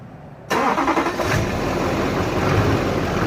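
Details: 2006 Chevy Silverado 2500HD with a Duramax LBZ diesel and 194K-mile injectors, first start after upper engine and injector cleaning. It fires at once and settles into a firm, even idle with no stumbling; healthy start.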